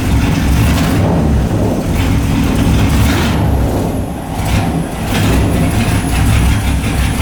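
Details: LS1 V8 in a BMW E30, just fitted with a new MSD 6014 box replacing the 6010, first start: lumpy rough idle with small dips; cause not found.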